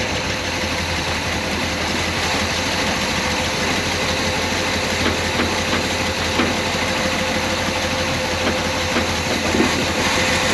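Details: Lumpy, uneven idle with a stumbling, shaky beat on a 1968 Pontiac Grand Prix big-block V8 just revived after 15–20 years sitting; misfire from plug wires on two cylinders swapped.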